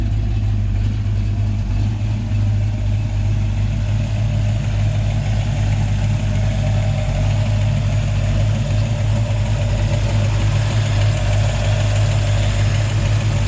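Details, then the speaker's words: 1984 Ford Mustang GT350 302 carbureted V8, cold, just after catch can install and PCV reroute: deep steady burble, even loping beat, no knocks or ticks; started right away, idles smoothly and healthy. "is still cold, but I mean, it started up right away. It's running nicely. Sounds good, sounds healthy, and it looks good."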